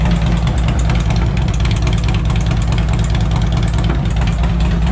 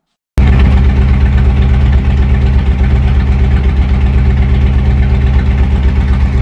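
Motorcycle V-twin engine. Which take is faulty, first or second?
second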